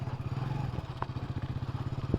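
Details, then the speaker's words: Hero HF Deluxe motorcycle after replacing the rear half-axle bearing, test ride: even single-cylinder putter about twelve beats a second, previous rear-wheel grinding gone; normal running. "Finally സംഭവം ready ആയിട്ടുണ്ട്. ആ കരയരപ്പ് sound ഇല്ല കേട്ടോ. അടിപൊളി."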